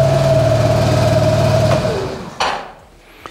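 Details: Suzuki Burgman 200 scooter with only 196 miles: even, steady single-cylinder idle with no knocks or rattles, then it winds down cleanly when switched off. Normal, healthy idle.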